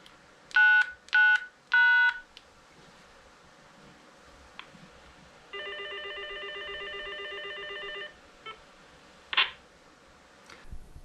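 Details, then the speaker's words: Motorola GM300 portable repeater with Zetron ZR310 controller, DTMF programming exited with 99 followed by hash: three short tones, then a steady multi-pitch tone confirming settings saved and programming mode left. "so let's exit and to do that it's 99 followed by the hash key so you'll hear that tone and that's to prompt you that everything's been saved and you've left programming mode"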